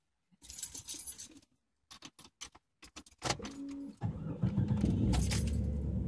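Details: Jeep engine with 250,000 miles, reinstalled after replacing seals, water pump, oil pump and timing chain: keys rattle, starter spins briefly, engine catches cleanly and settles into a steady, even idle without misses. Normal start.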